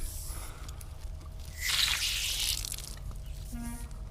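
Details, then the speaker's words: Irrigation mainline with air from a compressor added to make leaks audible: soft hiss swells for about a second over low compressor rumble from a small pressurized leak at a fitting/valve that probably needs replacing. "let's see if there's anything else that's too small of a leak to cause zones not turning on"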